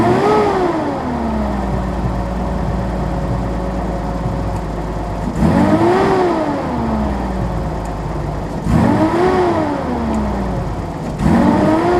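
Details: 1983 Datsun 280ZX Turbo, cold, vacuum gauge around 32-38: revs blipped rise and fall unevenly, ragged popping and sneezing note, bad idle; owner suspects fuel injector, fuel pump or damper, throttle switch or airflow meter; rough cold running.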